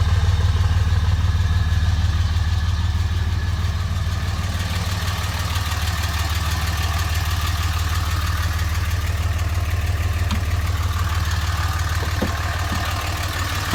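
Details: 2005 Dodge Ram on a cold start: steady low beat about three per second with slight unevenness, missing on a cylinder and smoking, then smoothing out as it is driven; bad injectors suspected, unconfirmed.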